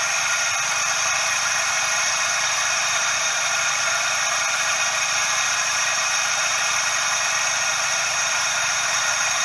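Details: Suzuki Every DA64V engine: steady, even high-pitched "shaa" hiss over the engine with no rhythm, from the belt tensioner bearing; confirmed cause is the belt tensioner bearing.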